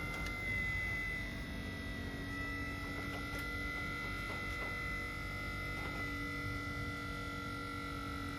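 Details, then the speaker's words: Minn Kota Ultrex trolling motor after foot rebuild with armature, bearing and seal replacement, run on high: steady even electric hum with constant high whine, no grinding; normal running at full speed. "You'll hear it spin up. Right there seems to be it. Cranked it up on high."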